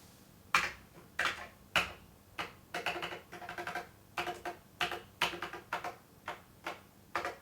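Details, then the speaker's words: Glory SR600 cash register at power-on: shows a loading screen, beeps a little, then sharp uneven clicks every half second to second instead of booting; suspected internal short. "it beeps a little all right this unit might be no good looking hmm sounds like some sort of short in it"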